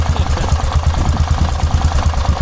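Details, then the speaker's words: Cub Cadet 1106 riding lawn tractor (1987; listed as 1986), sat over 4 years: slow, heavy thumping about eight beats a second, barely keeping running. Idle set far too low; carburetor needs more tuning. "Idle's really low. Obviously the carburetor needs a little bit more tuning, but it's running pretty good."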